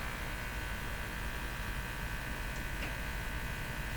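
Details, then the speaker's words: Silvertone 101-583-2 multiband tube radio on broadcast band during performance check: steady low hum with hiss and a faint tick, after an unexplained loud snap that sounded like high voltage; cause unknown. "what was that snap that was a sound like a high voltage snap to me"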